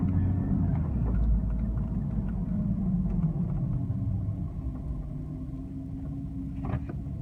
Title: Strange noise in 2002 996 cab